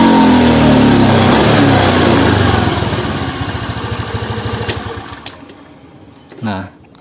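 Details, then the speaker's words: Honda Beat FI injection scooter, injector already cleaned: engine revs hard but pull fades and note sags near full throttle as the slide hits its stop; lower and mid rpm fine, top-end power lost. "jadi ketika mau mendekati atau pentokan sama dibagian sininya itu malah justru tenaganya itu ngempos cash ya"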